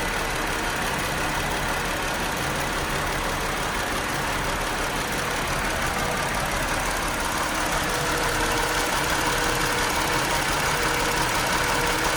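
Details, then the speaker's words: 2018 Chrysler Pacifica, P0300, after the dead battery was replaced: normal idle for about 10–25 seconds, then an uneven loping chug about three beats a second with flashing engine light, multiple cylinder misfire. "I started to notice a chugging in the uh in the idle and um I knew that something was wrong the engine light started flashing um and so I knew the cylinders were missing firing and so I shut it down"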